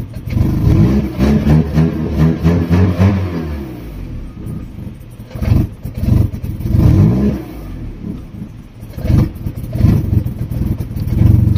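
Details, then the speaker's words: Fiat Stilo with MAP sensor wire disconnected and engine light on: engine revs then falls back unevenly with clattery, irregular firing on throttle release and keeps cutting out; rough running, cause not found; codes for clutch pedal and intake pressure sensor. "It really has issues, you hear it."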